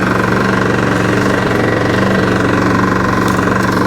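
Hard-working mower engine with a steady, fast knock under the drone, roughly three a second; sounds like a worn-out engine. Cause suspected, not confirmed.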